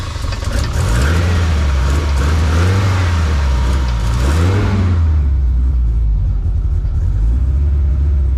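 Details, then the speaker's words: Toyota TE27 (about 1972) with swapped 3S-GTE turbo engine, first start after the build, with no coolant yet and idle set low: low, even rumble with the idle drifting slightly, super quiet, no knocks or ticks; a good sign. "All right, that's a good sign. So this thing sounds super quiet."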